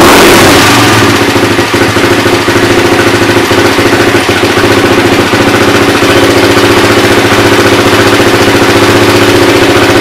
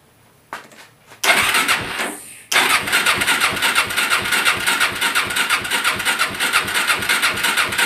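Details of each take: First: Suzuki LT-R 450 quad after CDI replacement, battery charged, air filter off, choke likely on: steady even single-cylinder idle holding a constant beat with no misses or knocks; carburetor seems fine; normal idle. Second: Suzuki LT-R 450 quad with charged battery, in neutral, fuel switched from reserve to primary: steady starter cranking with even compression beats about three a second but no firing; compression present, traced to a faulty CDI.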